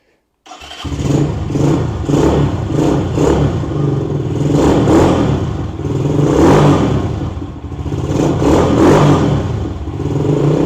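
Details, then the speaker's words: KP Mini 150 single-cylinder bike with Nibbi carburetor and new muffler (baffle in), cold start without choke after sitting a couple of days: fires quickly into a deep, even putt with light throttle blips; healthy, nice deep tone. "It's got a nice deep tone to it. Sounds really good."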